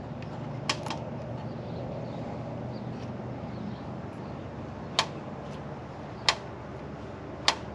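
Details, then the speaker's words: 2003 Chevy Suburban, AC compressor clutch with coil that shorted and blew the fuse, energized directly via relay pin 87: sharp single clicks a second or more apart; clutch engaging properly. "You hear that? That is our clutch engaging."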